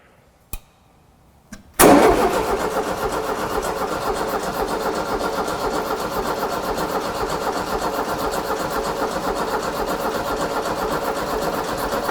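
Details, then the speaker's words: VW beach buggy on a 1967 shortened chassis, believed twin-port air-cooled engine, after a month-long restoration, first start after cranking to prime fuel: a couple of clicks, then fires into a loud quick even idle with raspy exhaust; runs fine. "woo that is loud woo that is loud holy crap yeah but that's"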